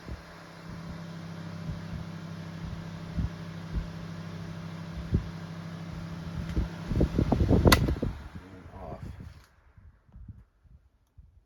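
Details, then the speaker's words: Kuo Horng 9-inch oscillating desk fan KH-901, dropped off a desk and its thrust washer worn, after servicing: a low steady hum fades smoothly as the blade coasts for several seconds, a normal spin-down where before it stopped immediately. "spin down is much better than it was before this it had zero spin down you turn it off and the blade would just stop immediately"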